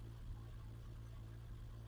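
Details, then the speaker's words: Freshly rebuilt BMW M20 engine in 325iS spec with a 276 cam, first start on the bench, AFR gauge not yet fitted: low, quiet, steadily loping idle with no dropouts; lope is from the cam, not a misfire, and idle still needs lowering. "this is not a misfire that you're hearing, it's a 276 cam that you're hearing. So we've still got to drop the idling a bit."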